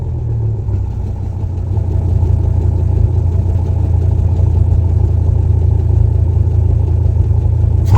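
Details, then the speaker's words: 2000 Dodge Ram 3/4 ton with 8 L V10, newly installed dual exhaust; deep, even burble at idle that swells when revved, no rattles or leaks, exhaust sounds healthy and quieter than before. "Sounds really nice. I mean, it's got a good burble at idle."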